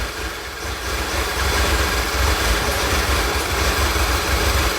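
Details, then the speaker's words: 2011 VW Tiguan, P0300 history, many parts replaced, open loop, fuel rail 580 psi: uneven stumbling low idle with irregular dips; misfiring on all 4 cylinders, acting like it's running lean. "It's misfiring on all 4 cylinders. It's acting like it's running lean."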